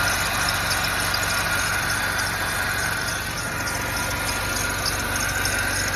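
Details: BMW E70 with 4.8 engine, cold start below 40F: loud steady running with a constant high-pitched whine on top; abnormal cold-start engine noise, source not identified.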